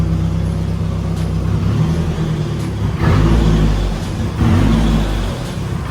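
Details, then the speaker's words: Nissan 240SX S14 idling while warming up, waiting for thermostat to open, idle being adjusted; deep steady idle with soft lope and mild speed swells, sounds smooth and healthy. "Sounds good. I like it. It sounds really good, honestly."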